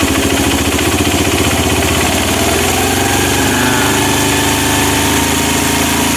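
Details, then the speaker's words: Honda Mega Pro mono with hard starting and idle dying. The air screw is turned counterclockwise toward peak speed, and the single-cylinder idle picks up and settles at a higher, even beat: air screw correctly set at peak. "nah ini suaranya sudah meninggi Mas Bro ya kalau suaranya sudah meninggi baru kita setel elnya mas bro oke Oke ini pas Bro ya"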